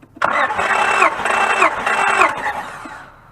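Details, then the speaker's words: 2004 Honda Pilot with misfire and code 1399, cranking during a compression test: fast, even starter churn of about three seconds with no firing, then spin-down; normal cranking. "Okay, it's like 195, 200. Okay. Jim. Yeah. That was 210 also."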